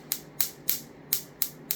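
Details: Replicated cap-dump circuit (homemade 10 µF 400 V capacitor bank, high-voltage module) pulsing into a battery, drawing about 1.3–1.4 W: sharp evenly spaced snapping clicks about three a second; discharge firing normally, though battery charges slowly.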